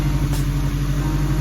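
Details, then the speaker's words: Engine with valve cover and distributor cleaned and reassembled: smooth, even low idle with steady firing pulse, no ticking or knocking, no leak; much smoother than before. "sounds good looks good no leak um sounds a lot smoother than it did"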